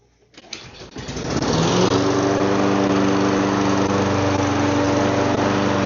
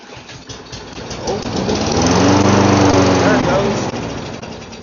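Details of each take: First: Donated lawn mower that wouldn't start; after carb cleaning it fires after a second of cranking and settles into a steady even drone, no misses or surging. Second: Donated lawn mower that would not start; fuel seems fresh, oil dirty, air filter off. Carb cleaner sprayed into the carburetor: the engine sputters, catches and runs a few seconds, then fades out. Carburetor probably needs cleaning.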